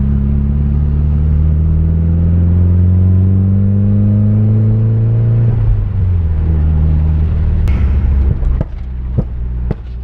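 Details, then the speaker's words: Nissan 240SX with a built SR20DET during break-in drive, oil temp about 230 degrees, oil pressure 25 psi at idle: deep uneven drone swelling with revs, then sharp irregular pops; rough running and backfiring, owner suspects ignition timing needs adjusting. "got it's running really rough it's just backfiring the whole time has me a little worried I will be just need to adjust the timing is all"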